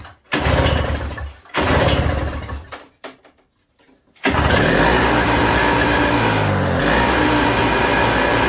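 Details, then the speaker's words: 1987 Toro CCR 2000 snow blower after carburetor replacement, still cold: two cord pulls, then it catches and holds a steady, crisp buzz with no surging; running properly. "There we are. Running real good. She's cold still, but running really good."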